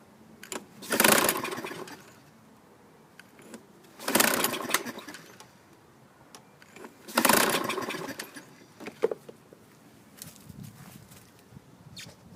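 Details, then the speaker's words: Toro Recycler 22-inch mower, 2000, 6.75 hp Kohler engine, borrowed recoil fitted, carburetor dripping fuel (float valve possibly stuck open): three recoil pulls about three seconds apart, whirring bursts without firing; cranks, no start, cause unconfirmed. "i'm going to add a little gas just to see if that helps out maybe we we lost all the gas and the carb"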